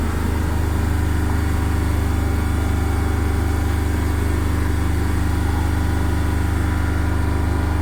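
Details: Skoda Fabia diesel with VW Polo common-rail engine that stalled while driving and suspected low compression: deep, steady diesel drone with no misfire, knock or hunting after starting; normal running.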